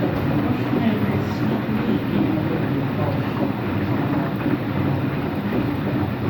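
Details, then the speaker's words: Empty washing machine on rinse and spin with no clothes; a steady deep rumbling roar with no clear rhythm. Owner suspects both the motor bearing and the drum bearing, unconfirmed, and saw no leak. "I actually think it's both bearings. I think it's both the motor bearing and the drum bearing that makes noise."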